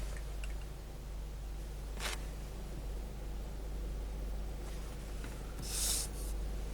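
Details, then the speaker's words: 2012 Chevrolet Spin at idle, heard from inside the closed car after the faulty canister purge solenoid noise was fixed: only a faint, low, even hum with no ticking. A quiet, healthy idle. "Parou o barulho, pessoal. Agora ficou um motor silencioso, original, igual a Spin tem que ter."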